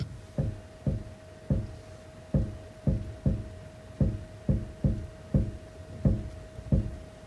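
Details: Suzuki Swift Sport (ZC33S) steering clunk: dull knocks about twice a second with a faint ring when the wheel is turned lightly. Not heard at higher speed; cause unknown.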